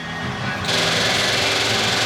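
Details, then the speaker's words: VK Commodore backyard find, first start in about 10 years after a new fuel tank and fuel lines: rapid buzzing tick that keeps going without stopping; fuel pump won't stop clicking, owner suspects it isn't picking up fuel. "why isn't the fuel pumping and stopping i don't get that they're supposed to pump it's almost like it's not picking up the fuel"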